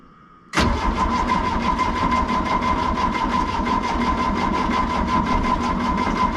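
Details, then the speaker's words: Diesel excavator that sat a couple of months, no exhaust smoke, fuel system had lost prime: steady cranking about three beats a second that never catches; engine stop motor suspected seized partly closed, shutting fuel off at injection pump. "But we think the problem now is the engine stop motor, which controls this lever down here. It shuts the fuel off at the injection pump and the motor just stopped."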